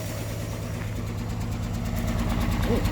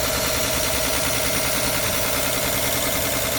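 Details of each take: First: 1964 Olson Kurbside step van, 223 inline-six Ford, first start after 29 years on fresh fuel with choke held, borrowed battery: deep low idle around three pulses a second with an uneven, lumpy beat; runs but roughly. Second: 1964 Olson Kurbside step van with a Ford 223 inline-six, first start after sitting 29 years, on fresh fuel with the choke held. It settles into a steady, even, smooth low idle with no knocks or misses; normal idle.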